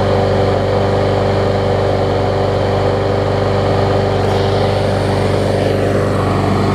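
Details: Bolens mulching mower trade-in, air filter off, droning thin and strained, only kept going by sprayed starter fluid, barely running. The engine shroud showed signs something had been living inside.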